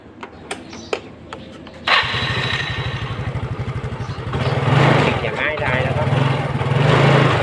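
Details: Yamaha Fino scooter that had died while riding and would not restart, heard after reattaching the carburetor intake that came loose (missing air-filter bolt): a few clicks, then it catches at once, settles to a steady idle and revs up.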